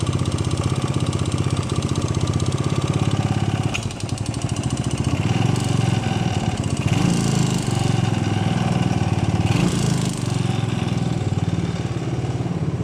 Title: Bruit moteur 125CBS claquement